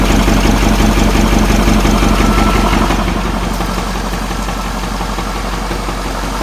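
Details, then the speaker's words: Ford F450 with a 6.7 Powerstroke diesel, previously non-running with dead batteries and a severe front oil leak, reported as knocking: the idle has an uneven stumbling beat about three times a second, sounding like a miss rather than a knock. A failed number five injector is suspected. "i don't hear any knocking it's just about a miss more than anything but it does have a pretty extreme engine oil leak out the front"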